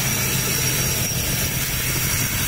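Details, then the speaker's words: 2004 Toyota Kijang Kapsul LGX 2.0 EFI manual, starter normal, AC switched on: smooth, steady petrol idle with an even hum and no ticks, knocks or squeals; normal idle. "Nah, ketika dinyalain AC-nya kan kondisinya masih normal ya, tidak ada suara aneh-aneh ya."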